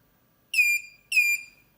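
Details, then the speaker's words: DatouBoss 1500W 24V inverter converted to lithium, under light load as supply voltage drops: two clear high-pitched beeps half a second apart; low-battery discharge warning at about 20.4–20.5 V, original 20 V cutoff being lowered to 18 V. "Є сигнал розряду. Є 20,4 20,5 він вимикається."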